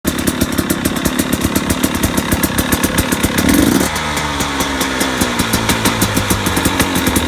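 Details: 2017 KTM 250 XC-W two-stroke dirt bike at idle; steady regular knock about five or six a second, owner unsure if pipe bang or nothing.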